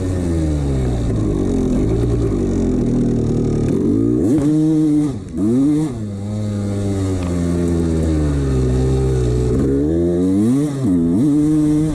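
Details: 1989 Honda CR250 two-stroke revving up and falling back: hollow clatter riding on the exhaust note from a worn piston slapping in its bore; piston slap that owner ignored.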